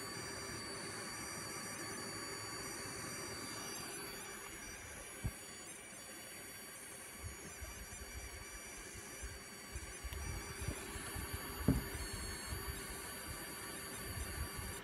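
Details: Asus Strix RX580 graphics card after new power supply test: faint steady high-pitched coil whine over quiet hiss with small clicks, unchanged by the PSU swap.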